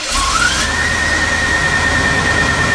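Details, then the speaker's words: Abandoned Winnebago motorhome engine running after belt work: a high squeal climbs briefly then holds steady as the new belt, routed past a missed belt guide, rubs off its guide; belt squeal from misrouted belt. "Well, after a little looking around, we found a belt guide that had been missed."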